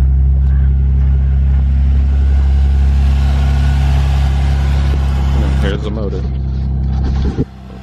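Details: Manual Lexus IS300, about 169,000 miles, axle disconnected, clutch pressed: fires straight away into a loud, even low idle on open exhaust, no knocks or misses, then cuts off cleanly; healthy start.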